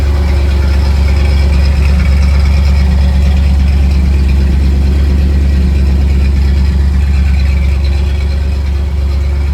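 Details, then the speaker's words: 1979 Ford Bronco after installing a DIY side dump exhaust with muffler and clamps tightened, no hanger yet, heard from inside the cab: deep steady even idle rumble, no knocks; much quieter inside than before, normal idle. "so I'm sitting inside the Bronco it's so much quieter when when the exhaust isn't exiting right below you it's pretty nice cuz it was so loud in here"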